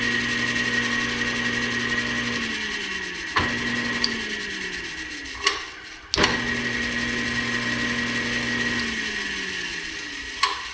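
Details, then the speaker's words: Old band saw's electric motor bench-tested clamped down with temporarily stripped wiring: smooth steady hum that winds down as power drops then spins back up, no grinding or rattle; motor works. "that sounds pretty good sounds pretty good okay so we know the motor works"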